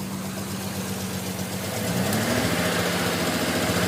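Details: Non-turbo Nissan R33 at cold idle after sitting about 2 days and hard cranking: uneven stumbling beat with dropped pulses over engine drone, misfiring until about 10 minutes warm-up; coilpacks, injectors, gasket, fuel supply checked fine; cause unknown.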